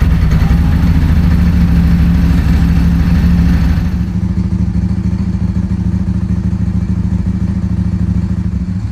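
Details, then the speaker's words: Ducati 748 SP after fuel pump replacement and uprated internal fuel lines, first key turn purging air; deep lumpy twin-cylinder beat settles from fast first catch into steady even idle, no misfires or rattles, normal start. "so this is going to be the first key turn on camera so I imagine there'll be some funny noises as it removes the air oh yeah that sounds [Music] better see if it starts then"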